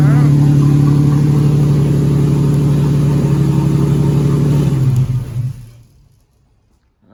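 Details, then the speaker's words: 2004 Ford BA Falcon XR6, first start in over three years after six years stored in a shed: steady six-cylinder run with an even firing beat about four per second, then the engine shuts off; runs cleanly, normal. "So I'll get the old boy to see if she'll fire up for the first time in 3 years. Running."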